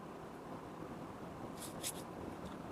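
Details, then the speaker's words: Panasonic Dual Inverter split AC, 4 years old, indoor unit at night in powerful mode, 16°C cool mode, fan high, mic near unit. Only a soft, even airflow hush with no clicks, rattles or buzzing: normal fan noise. "क्योंकि मुझे खाली जो fan घूमने की आवाज है मेरे को तो बस वही आवाज ए रही है इसके अलावा तो कोई और ए ही नहीं रही है"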